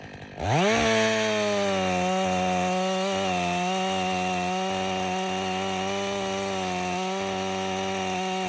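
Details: Stihl MS 500i chainsaw (62 hours, stale fuel, sat a while), warm, outdoors after recalibration: fires and settles into a steady, clean high-pitched drone without surging or dying; runs excellent after fixing the fuel pump, believed main problem.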